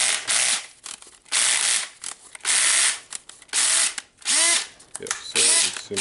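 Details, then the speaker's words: DeWalt drill after replacing worn carbon brushes (part N109433), running in drill mode: short motor whir bursts with quick, even ratcheting clicks as the clutch slips each time; the clutch works normally. "it's hammering it's a direct mode it may be no clutch here and here goes our clutch"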